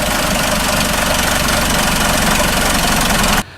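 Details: 2004 Chrysler PT Cruiser: harsh, loud idle with an uneven knocking beat and a miss throughout; timing belt found about four cogs off and very tight.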